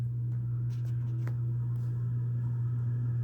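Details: 29-inch three-speed Homestead Universal Monterrey ceiling fan running in reverse on medium and high: a steady low hum with faint irregular ticks and rattles from bad, dry, worn motor bearings.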